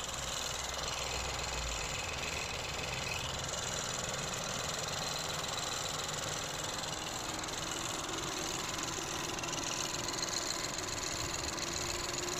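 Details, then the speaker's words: Ford Focus 1.0 EcoBoost after engine rebuild (damaged piston 3, pistons and crankshaft replaced) idles evenly with a light regular tick and no knock; engine now normal, though turbo shaft damaged from low oil pressure needs replacing; clean exhaust, no smoke. "لنتيجة انه صوت المحرك بعد ما عملنا له توضيب للمحرك اختلف، يعني صار صوت المحرك طبيعي. طبعا هلا المحرك شغال، ما في صوت،"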